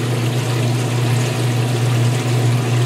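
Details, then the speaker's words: Whirlpool direct-drive washer not fully draining in the allotted time, during the neutral drain: a steady watery rush over a low pump drone. The pump works, but the stream weakens, a slow drain from a blocked drain hose outlet. "everything is doing what it's supposed to but yet there is a problem we're gonna have to wait and see if it manifests we're still draining we still have that stream which has weakened a bit"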